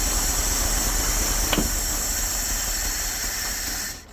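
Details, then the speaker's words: Dodge W300 Club Cab V8 that missed and smoked heavily, cylinder drop test pulling plug wires one at a time: rough, hissy running that dies when one wire comes off; found running on only three cylinders (8, 3, 5). "That one killed it. We'll fire it back up. That one has no effect on it. That one does. It almost killed it."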